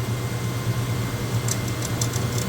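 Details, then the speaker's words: Highland Park Lapidary Shaping Machine shaping a jade cabochon blank about 6 minutes in: steady low hum with only faint, sparse scratching; the wheel is barely grinding, and the stone is almost done. "you can hear, this thing is barely grinding at all. It is almost done, and it's only been 6 minutes."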